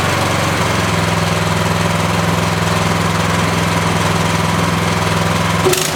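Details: Yardman (MTD) snowblower with LCT single-cylinder engine, no-start after sitting years, fixed by dumping carb bowl and flushing gas tank: steady even high-speed running at 3400 rpm, no misses, knocks or surging; normal running.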